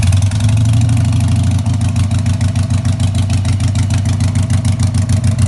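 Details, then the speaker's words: 2000 Harley-Davidson XL883H after ignition module replacement (previously hard starting and backfiring when warm, sometimes one cylinder), choke off; deep V-twin idle, uneven and lumpy with dips; rough idle, ignition timing suspected off. "I don't think the timing's right because the bike doesn't seem to be idling right."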